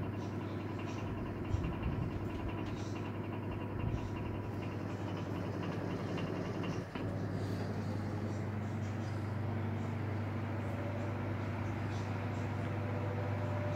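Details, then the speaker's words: Elcon 16-inch desk fan after motor repair (7 coins removed from rusted motor): steady low hum, no rattle or scraping; motor runs smoothly and faster than before. "And you get that beautiful sound of that motor too. Beautiful."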